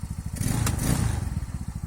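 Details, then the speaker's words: Stels Kapitan 150 snowmobile, engine warm or cold: one sharp click-knock from the gearbox (reduction gear) when forward gear engages, none in reverse; play found in the reduction gear. "включаю я переднюю то есть вот такой вот удар не знаю слышно это или нет на задней такого нету"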